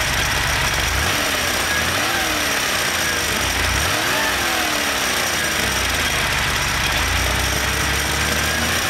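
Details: Porsche engine: light ticking over the idle fading into the engine note as revs climb and returning when revs drop; cause unclear.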